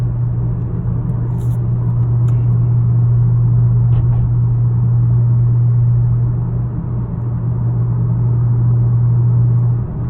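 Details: 2018 Honda Accord Sport 1.5T engine running: a steady, constant-pitch low hum over the engine rumble, which the owner considers not normal.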